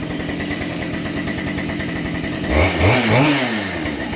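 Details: Husqvarna 572 chainsaw after cylinder replacement following a failed wrist pin clip: crisp, even two-stroke buzz at steady speed, then a clean rise in pitch under a little load; runs healthy.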